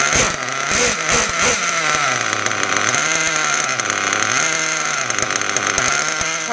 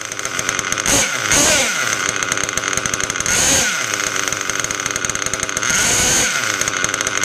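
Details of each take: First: Mugen MBX6R nitro buggy freshly started on street tires: high raspy idle sags as brake is applied then recovers; throttle/brake linkage needs adjusting. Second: Rebuilt Mugen MBX6R nitro buggy with a clocked Novarossi P5 engine and OFNA 086 pipe, after tweaking the throttle/brake linkage because rpm dropped when braking: a high, raspy buzz holding an even idle without stalling. Idle now normal, before tuning.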